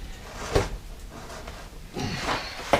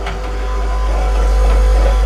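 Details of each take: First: Lincoln Continental / Mark III-type Ford power window: a few door thumps, then a steady low whir that runs evenly, pauses and reverses. The motor works normally after the stripped gears were repaired. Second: Lincoln Continental / Continental Mark III power window with ignition on and power restored: low, steady motor hum that never strains or changes load while nothing moves; window regulator drive gears/pucks stripped, pucks to be replaced.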